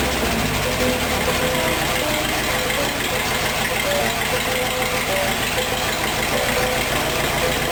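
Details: Rat rod engine idling after a timing chain install; timing is not yet exact. It had an off-rhythm, lopey return from revs before. Now the idle holds an even, steady beat with no lope or surging, running smoothly.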